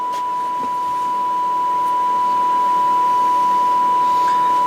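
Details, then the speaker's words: Hallicrafters SX-42 receiver alignment on the lowest band, dial and signal generator both at 1.5 MHz during band spread control repair: clean, steady high-pitched test tone being tuned in. "signal generator set for 1.5 megahertz. I'm on the very low band. I've got the dial set to 1.5."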